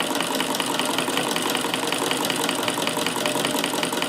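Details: Davis vertical feed sewing machine (likely late 1800s, 1885 patent), electrified, after fitting to an adapted case: quick, light, even needle clatter at steady pace with no harsh knocking; sews smoothly and much quieter than before, normal running.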